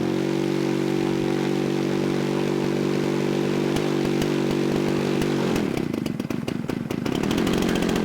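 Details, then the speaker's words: Starter whir from an electric starter gives way to a catching, buzzy model aircraft engine on its first start of the day, ignition switched on after priming with choke, settling into a steady warm-up idle; clean healthy start. "ignition on and away she"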